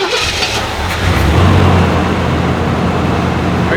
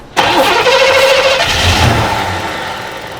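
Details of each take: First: Chevrolet Monte Carlo SS parked 20 years indoors, started after only adding fresh gas; brief crank, catches quickly and settles into a steady, even idle with no misses, normal start and idle. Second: Chevrolet Monte Carlo SS parked 20 years, cranked with starting fluid while fed from a fresh gas can to the fuel pump: quick crank, catches and revs briefly then fades; spark confirmed, fuel supply fault.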